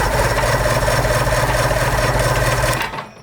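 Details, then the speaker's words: 1990 Johnson 130 HP outboard, formerly seized after sitting 10 years, cranking with spark plugs in: slow, uneven cranking at about three to four turns a second with a metallic clatter each turn. It is not from hitting the oil container; source unclear. "I am hitting the oil container but that's not what the the metal to metal noise is could be this which we will get to"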